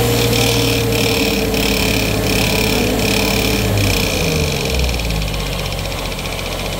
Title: still noisy